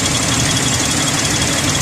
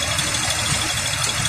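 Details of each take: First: 2001 Ford Explorer 4.0L V6, restarted after reconnecting spark plug leads during exhaust manifold leak work, a little gas: rough uneven idle, irregular thumps and hissy top end; misfire from unseated spark plug lead, leads then reseated. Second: 2001 Ford Explorer 4.0L V6, idle after tightening left exhaust manifold nuts, one about a sixteenth turn: steady idle, sounds a little rough with faint unevenness under hiss, no exhaust tick or smoke; normal idle, leak apparently fixed.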